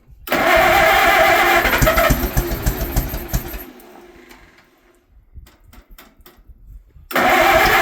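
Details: Old Allis Chalmers tractor, barn find stored about 20 years, with the original crank start, on its first start after the motor was cleaned out and given little fuel; harsh roar, uneven sputter with pops, then it refires; backfire on starting, cause unknown.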